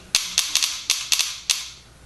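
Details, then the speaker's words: Invert Mini paintball marker after installing a Custom Products spring-return sling trigger: sharp snapping shots, some as quick doubles as the trigger bounces and fires twice; magnet being adjusted closer, was too sensitive, improving, very light spring. "And you can hear it double bounces a little bit. It's getting better now."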